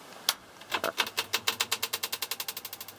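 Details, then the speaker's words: Airflow Calypso CE250 exhaust fan on a vintage light switch: rapid sharp ticks about ten a second at start and as it slows after switch-off; blades chattering against a bent, damaged grille. "kind of chatters at the beginning because the grille is kind of bent on it but you can hear it running now and when i turn it off it's going to chatter again that's just the blades hitting the grill because the grill's kind of messed up"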